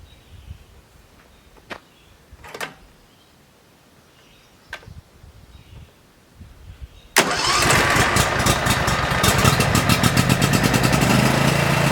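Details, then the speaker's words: Brand-new DR Power Pro XL30 field and brush mower fired up for the first time, before its break-in period: the engine catches at once and settles into a steady, even putter with no misses. A normal start and idle. "And now I'm about to fire it up for the first time, see what it sounds like."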